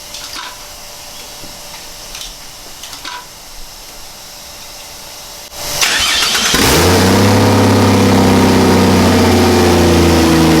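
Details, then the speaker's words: Barra turbo six in a 45/80 Landcruiser, first-ever start on fresh 5W-40 oil after turbo oil feed checked: short crank, catches instantly, settles into smooth, steady idle with even deep hum and no misfire. "up so fired up well for the first time"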